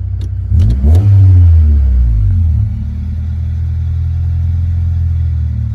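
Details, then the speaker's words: 1995 Honda Civic, fully warmed up, after wiping down and resetting the IAC valve to cure idle surging up and down: quick throttle blip rises and falls cleanly, then a smooth, steady idle with no hunting. "all right she is about completely warmed up gonna tap the gas to see if she does [Music] okay that's good do it again good"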